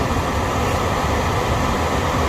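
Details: HVAC furnace blower after blower wheel replacement (the old wheel had caused a screeching noise), tested before closing up: smooth, even rush of air with a steady hum, no scraping, squeal or wobble; normal blower operation.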